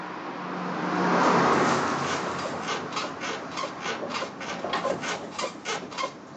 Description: Creaking sound from suspension, 1986 Mazda 323 BF